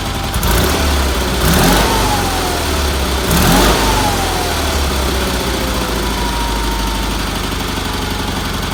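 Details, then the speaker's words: Red Roper with BFM twin engine, running after fitting a fuel filter, finishing the fuel line to the fuel pump and refitting the carburetor pulse line; owner suspected a weak fuel pump earlier. Low, steady, even-beat twin idle with no knocks or misses; runs good after tuning. "I'm very happy with that motor runs good had to do a little tuning on it but that's what happens every time you do it"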